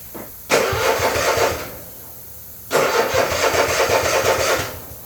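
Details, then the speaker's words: Troy-Bilt Mustang XP zero-turn mower with a weak battery, on a jump start: two long, uneven cranking bursts that never catch, a hard start; owner suspects a bad starter and notes stiff compression, cause unconfirmed. "Actually, it turns over easier with this jump start. Maybe it's just that weak weak point in the battery."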